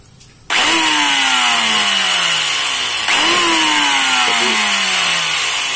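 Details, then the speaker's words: Angle grinder reported to sound rough, run unloaded before service; motor whirs up sharply then winds down with falling pitch and a coarse, scratchy edge: rough-running grinder. "cepat banget garapan RT buah gerinda ini gerindanya suaranya katanya kasar"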